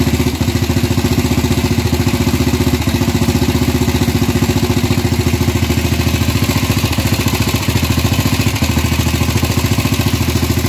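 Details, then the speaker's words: Gilera 150 Super Sport single-cylinder fitted with an adapted Honda AX 100 carburetor, first start after basic setup with the points plate set almost fully retarded; steady but soft, lazy idle about 3.5 pulses per second, ignition timing retarded. "bueno por ser el primer arranque con una puesta a punto básica se siente que está atrasada pero puse la plaqueta casi totalmente atrasada"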